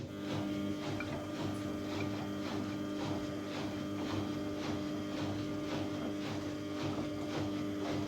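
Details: 14-year-old Samsung washing machine spinning at about 1000 RPM with a very unbalanced load; steady high tone with rhythmic squeak about every 0.7 seconds, owner suspects the bearings, still to be tested empty.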